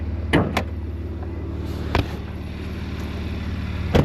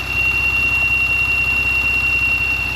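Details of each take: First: Porsche Macan just started and cold, known to make a tea-kettle hiss from PCV valves once warm: door clunks then smooth steady idle with no hiss or whistle; normal cold idle, noise barely audible until warmed up. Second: Porsche Macan warmed up 4–5 minutes, with the noise appearing after the throttle was blipped about three times: a constant high-pitched tea-kettle whistle over a soft idle hum from leaking PCV valve seals. Temporarily fixed with seal packing; O-ring replacement planned.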